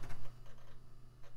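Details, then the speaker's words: CD-ROM drive in an early-2000s Micro-ATX PC reading a disc: quiet irregular ticking and soft seek clicks over a low hum; interesting but not bad sounds, drive working fine. "it's making some interesting sounds too, though not altogether bad sounds."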